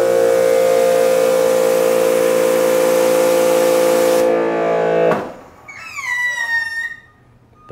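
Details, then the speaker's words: Giraffe Tools Grandfalls Pressure Washer Pro, wall mounted, rated 2600 psi max: steady piercing squeaky whine for about five seconds then cuts off sharply; new noise, cause unclear, owner wonders if too much hose is wound up. "it even makes a squeaky sound it didn't do that before now it's making that squeaky sound we've heard that on other pressure washers"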